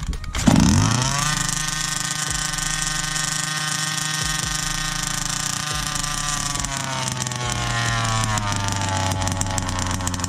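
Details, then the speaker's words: Fifth-scale 2-stroke RC car (Baja 5 type) with both carb needles opened one turn, untuned: catches with a sharp bang, then a high buzzing drone that wanders and sags instead of holding steady; needles need setting. "this should fire it up but it won't be running right use what you've learned in the beginning of this video to get it tuned right"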